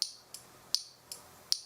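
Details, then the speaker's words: Honda Ruckus scooter, key on with left blinker after fitting secret indicator/start-kill buttons: crisp, even high ticks about every three-quarters of a second; turn signal flasher cycling normally. "Turn the key on. Put the left blinker on."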